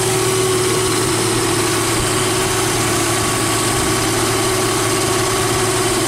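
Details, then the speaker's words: Jeep Wrangler YJ (no factory AC) at idle with a belt-driven onboard air compressor fitted via an added idler pulley and new serpentine belt. Compressor cuts on at 95 and off at 125; steady, smooth idle with an even compressor hum and no squeal or knock; normal. "here's pressure and like i told you before we did the electrical video this is going to be a uh on and 95 off at 125."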